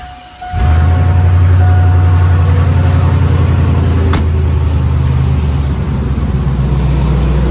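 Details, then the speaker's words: After welding in a new exhaust setup in 20° weather, engine starts quickly and settles into a deep, even rumble with a steady beat; sounds way better, healthy idle. "Oh yeah. Yeah, that sounds way better. I might have to get some tips for it, but hell yeah. Sounds way better."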